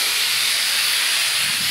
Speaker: compressor going on so you can hear all the leaks it's mostly coming from here so this one leaks a bit oh this one leaks a lot